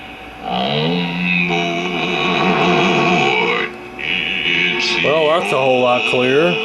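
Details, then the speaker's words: 1951 Stromberg Carlson C1 tube clock radio after a hum fault was traced to a 12BA6 tube with a suspected heater-to-cathode short and that tube was replaced: clean, steady playback of voice and music with no hum or crackle. It receives stations clearly. "I've actually got a pretty sensitive receivers calling in a fair amount of stations across the dial"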